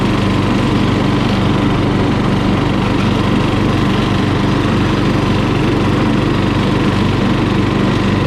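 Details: Murray lawn mower single-cylinder engine, just after carburetor cleaning for dirty fuel (float and needle fine), at full throttle: runs steady and even at high speed, no misses or surging; sounds healthy.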